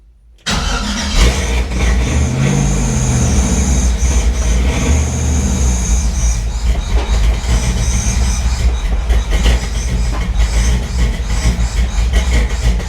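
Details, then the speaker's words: Chevrolet C10 with LS swap on ACES Jackpot 2 fuel injection, first start: loud, steady, lumpy V8 idle with a heavy low rumble. It is smoking and running very rich; the owner wonders about excessive fuel pressure and says it sounds like a vacuum leak. "Holy crap, this thing's rich. How do I take fuel out of it? Woo! It almost sounds like it's got a big vacuum leak or something."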